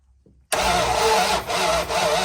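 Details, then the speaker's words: 1970 Dodge Dart Swinger, 360 V8 revived after being seized and full of rainwater, cranking: starter spins then twice drags and stops as cylinders fire early and push back; cranking kickback from far too much ignition timing advance. "See how it like stops turning? That's because it's firing prematurely and pushing back against the starter."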